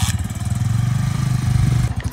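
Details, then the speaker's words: 1987 three-wheeler, new 200X, one of only about 3,500 made: strong steady low throb with even firing pulses, no knocks or rattles; engine purring well. "listen to that thing purr how you feeling baby you're good baby"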